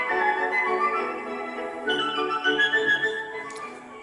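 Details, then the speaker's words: Philips 060 MK2 car cassette player with an electronic motor control system, not the old governor motors. Sustained notes hold a steady pitch with no wavering or warble. Steady tape playback at an even speed. "as you can hear that electronic motor control system is sput on there's no tendency to wow or flutter"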